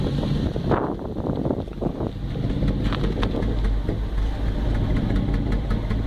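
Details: GM 5.3 V8 with deep uneven idle, irregular stumbles and slight rise and fall in speed; surges only when warmed up, misfire developed after sitting a couple of weeks; cause not found.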